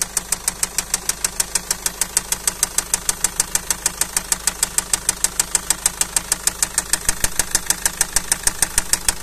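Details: Car engine at idle: sharp, evenly spaced knocks about twice a second over a steady idle, a clear knock from inside the engine.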